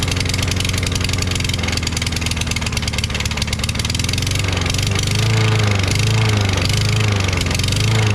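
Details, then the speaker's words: Craftsman Briggs 550EX push mower single-cylinder engine, replacement muffler sounding hollow, on fuel after propane test; lopes unevenly, speed rising and sagging every second or so with a brief normal moment; rough running and surging, fuel supply suspected. "Did you see that second or so that it actually sounded normal? You know, I don't know what's wrong with that muffler I put on there. It sounds like it's hollow or something."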